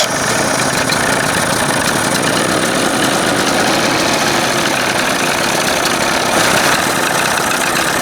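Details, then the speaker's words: 1981 Evinrude 20 hp two-stroke outboard: loud, busy idle with a ragged, uneven beat that never settles; play in the idle stop screw linkage blamed, leaning mixture didn't help; rough uneven idle. "It's, you know, that little crappy little bit of play is still screwing this thing up, even though I screwed that thing together."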